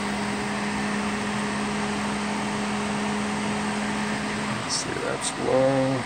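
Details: Duracraft Heat Furnace Plus CZ-1200 space heater, test run after repair: steady low motor hum with an even tone and no rattle or scrape until the sound changes near the end. The fan runs normally.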